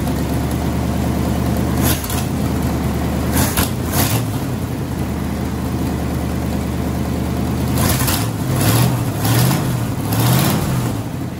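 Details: Ford Y-block V8, garage rebuild with a rehone, just started after fixing plug wiring and TDC errors; catches and settles into an even steady idle with a few short rev blips, no misfire or knock.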